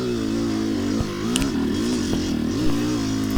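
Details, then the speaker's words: Yamaha YZ250X two-stroke enduro bike with Panthera electric start, climbing a hill: drone wavers at one flat pitch and bogs with no mid-range power, runs well on top; sticking power valve. "you can hear that the bike is just not producing any power going up this hill in the mid range it gets up on top runs really good on top and then just falls flat when i come back to the mid-range"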